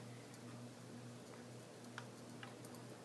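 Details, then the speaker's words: 52" Hampton Bay Cater ceiling fan running on high speed: steady motor hum with scattered light ticks and clicks while the fan spins fast; the cause of the ticking is unexplained. "see high is noisy and high is so fast"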